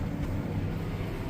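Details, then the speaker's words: Baler working green feed swath after repair for intermittent twine problem: smooth, even low drone under load, bars no longer rattling on the roller; running normally. "Alrighty guys, well, for the size of this swath, those bars should be, I should hear them rattling on that roller. And they're not rattling no more."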